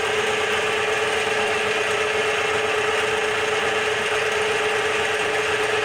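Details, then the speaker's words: Bench-top DIY CNC mill making its first facing cut on a small steel piece, 3-in-1 oil as lubricant; even, continuous chattering cut with steady high whine, no change in load, normal cutting. "almost halfway through the cut so far so good i don't see anything catastrophically wrong"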